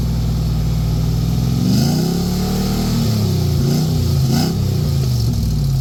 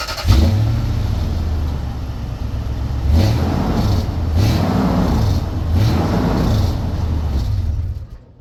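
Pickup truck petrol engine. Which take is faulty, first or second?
first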